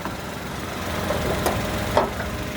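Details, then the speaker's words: 2016 Toyota Agya G manual, about 98,466 km, engine bay: smooth idle with the AC on and the compressor engaged, giving a faint even hum with no knocks, ticks or squeals. Nearly no odd noises, very smooth, a normal healthy idle. "ini tadi AC masih kita nyalakan, otomatis kompresor juga masih bekerja. Suaranya nyaris gak ada suara yang aneh-aneh, halus banget teman-teman."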